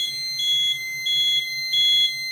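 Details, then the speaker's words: Notifier NFS2-3030 fire alarm panel: after a database and audio library download, a shrill beep repeats about every two-thirds of a second over a faint low pulsing buzz as the panel signals trouble while the DVC reboots. "3030 is in trouble right now. The DVC is doing its reboot stage."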